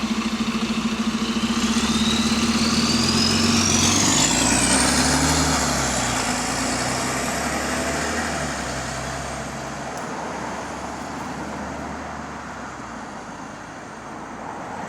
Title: Exhaust Leak | GAL WVL464 On Bus Route 89 (Spot + 8)